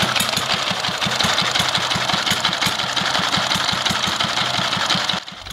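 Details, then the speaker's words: Old S1100 single-cylinder diesel just restarted after restoration (new valve, stuck piston and liner freed): steady beat with harsh gritty clatter on every stroke; timing gears rough but running, replacement left to owner. "sekarang mesin dieselnya sudah mulai enak hidupnya ini ya dan ternyata di sini suara gearnya sudah Memang agak kasar ini teman-teman"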